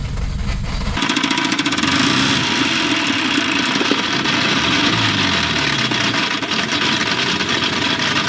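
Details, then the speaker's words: 1989 Volvo GL wagon with a non-turbo B230 redblock engine, driven with zero oil pressure and the oil light on, heard through the open window. It catches, then revs hard with a rough, irregular hammering building: rod knock from oil starvation. "roll down the window so you can hear it getting louder got that oil pressure light on"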